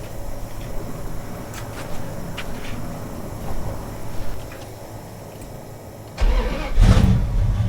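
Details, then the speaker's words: Mild street V8 in a Dodge Duster on a Holley-type carburetor with idle mixture screws 1¼ turns out and the choke backed fully off: after a couple of pedal pumps it fires quickly and settles into a steady, even low rumble; normal idle. "It's running perfectly, it seems. I should mention that I backed the choke all the way off, so it is not functional right now at all. So, it's just running without a choke."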